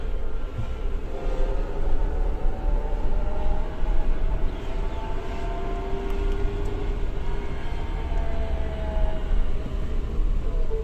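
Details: New Suzuki Jimny in low-range gear, accelerating and decelerating: clear whine rising and falling with road speed over heavy low rumble; suspected transmission/drivetrain whine, not confirmed.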